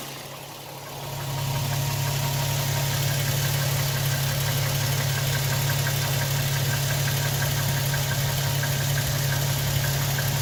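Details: 2007 Toyota Tacoma TRD Sport 4.0 L 1GR-FE, 239,000 miles, idling: light even knock about 230 per minute, never fading, unchanged since 180,000 miles; owner suspects piston slap.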